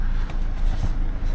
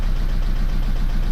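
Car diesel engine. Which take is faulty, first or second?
second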